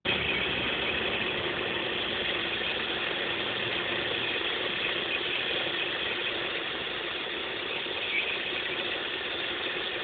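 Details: Opel X20XEV engine at idle: uneven, ratchety ticking of several clicks a second over the engine; source not yet identified.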